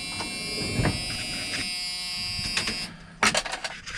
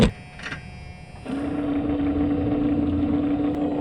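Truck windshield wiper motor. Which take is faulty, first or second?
second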